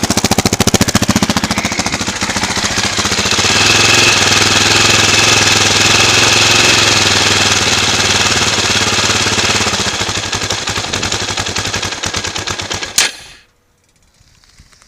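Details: 2004 KTM LC4 640 single-cylinder with 11,000 km and an Akrapovic slip-on, idling at 40°C oil temperature with a little choke: fast, even ticking chatter, then the engine cuts out; cause unclear.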